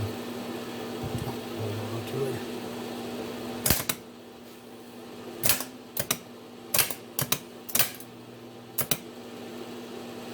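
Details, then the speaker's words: Diesel starter on bench, jumper-wired: sharp single clicks every second over faint hum, no cranking whir; Bendix moves in and out but motor doesn't spin, no power through; solenoid suspected, not confirmed. "Doesn't spin at all. It goes in and out. Where the Bendix goes in and out. But no juice."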